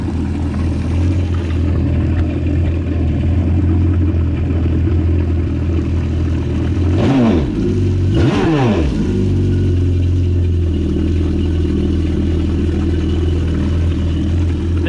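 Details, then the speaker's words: Yamaha GP1200R WaveRunner swapped to 1.8L supercharged Yamaha engine, running on land, checking for leaks: deep even exhaust drone with clean quick revs rising and settling, no knocks or rattles; normal running. "Checking for any leaks or anything inside. Seems to be okay. Take a listen to that exhaust note."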